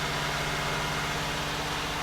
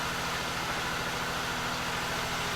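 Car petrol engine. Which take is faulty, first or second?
first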